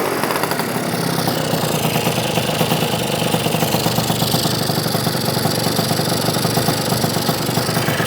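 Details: Yamaha BWS 100 two-stroke scooter built with Malossi 125cc kit, after tuning and before refitting airbox: buzzy revving rises and falls smoothly with no spitting or gurgling; now revving cleanly.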